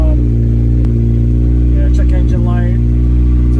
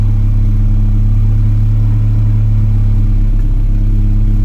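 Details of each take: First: 1991 Acura Integra DA9 after OBD0-to-OBD1 conversion: idle jumps around near 2000 rpm with steady drone that won't settle, throttle cable adjustment no help; owner suspects intake air temperature sensor; high unstable idle. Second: 1991 Acura Integra DA9, B20 swap on B18 base map after OBD1 conversion, warming up: smooth steady low rumble, no misses or knocks, with chatter over it, sitting evenly around 900 rpm; normal warm idle.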